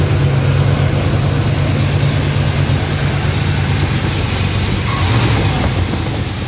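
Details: 1986 K5 Blazer V8 with new long block after blown head gasket, first start after oil priming and timing set: deep, even idle with steady low burble, no misses or knocks; normal idle.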